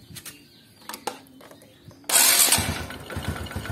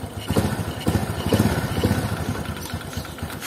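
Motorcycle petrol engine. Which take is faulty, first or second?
first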